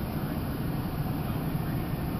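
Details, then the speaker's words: 2002 Chevy Silverado cold start after replacing the intake manifold gaskets to fix a rough, low cold idle: low, even rumble with no chugging, stumbling or dropouts; smooth, steady cold idle. "don't hear any of that yep all it was is just I guess maybe most majority was just the intake manifold gaskets they had gone bald"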